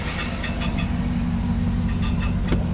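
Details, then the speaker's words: 2008 GMC Yukon XL idling with its fan removed. Irregular light, tinny taps over a steady idle, like something hitting the fan shroud; an intermittent knock, cause unconfirmed. "it basically sounds like something's hitting the fan shroud and you can see we don't have a fan and it's kind of a tinny sound"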